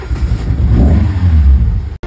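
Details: Car after gearbox swap, started via bypass: engine catches and runs with a deep, steady rumble swelling briefly with a rev, no stumble or clatter; running normally.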